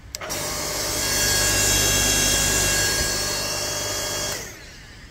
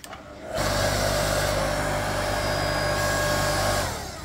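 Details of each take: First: Ryobi 5-ton log splitter motor after replacing the capacitor with a CBB60 30uF 500V run capacitor: it starts instantly into a steady, even hum with a clean whine, then winds down smoothly when switched off. Problem fixed. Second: Ryobi 5-ton electric log splitter, about 6 years old, that won't start on its own: a steady electric hum with a low buzz comes up only once the motor is spun by hand. The owner suspects a faulty capacitor, though it shows no bulge.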